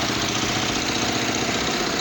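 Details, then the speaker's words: Kawasaki Vulcan 500 at working temperature, vacuum gauges on cylinders 1 and 2 at intake: ragged, uneven idle with hissy intake; carburetors totally unbalanced, each cylinder at its own pace; bowls had old green gasoline and stuck parts. "Okay, well, they are totally unbalanced, let's see if I'll show you."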